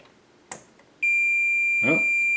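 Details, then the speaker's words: 25-inch K7000 arcade monitor chassis from a Killer Instinct machine that was blowing fuses, meter tested on the diode setting: a steady continuity beep across the horizontal output transistor shows it is shorted and must be replaced. "hot is gone there we go hot is shorted so that's gonna have to get replaced that's one one down"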